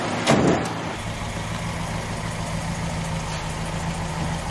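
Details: Very early 1969 Ford Capri MK1 barn find revived after many years, before first drive: after a brief blip, steady, even idle with smooth low hum, no knocks or misses; sounds healthy.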